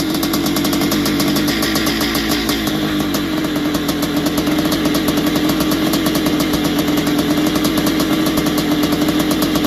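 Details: Barn-find 1981 Suzuki RM465 two-stroke, first start after fuel down plug, heavy smoke: busy idle with loose metallic rattle throughout; owner suspects top end needs work, possibly blown main/crank seals (clutch side), unconfirmed.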